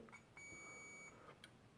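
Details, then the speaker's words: Philips Brilliance 220SW (HWS9220I, made May 2009) LCD monitor board with a backlight issue: meter gives a steady high-pitched continuity beep of about three-quarters of a second across what seems to be a zero-ohm resistor, which is likely normal. "there of course you have also some of these i think these are zero ohm resistors they beep as well but i think this is normal"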